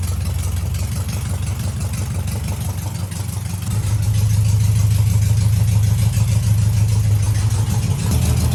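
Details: VW Beetle under renovation, air-cooled engine idling cold on choke: a low, steady idle that firms up partway through and holds evenly without misfire. It is already surprisingly low for the choke position and seems to hold; a healthy idle.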